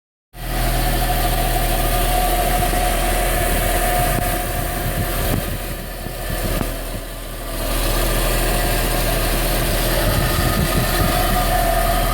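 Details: Audi A4 B5 1.8 engine at idle: steady hum with a faint, fairly even tapping about four times a second, source unclear; abnormal engine noise at idle.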